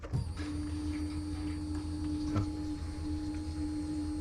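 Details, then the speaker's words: 2000 Camaro, turbo 5.3 with 190k+ miles and twin 450 fuel pumps, primary-side pump primed directly while diagnosing wiring; steady even electric buzz, no surging or stutter, reaching 45 PSI; normal fuel pump priming. "yep there's 45 PSI"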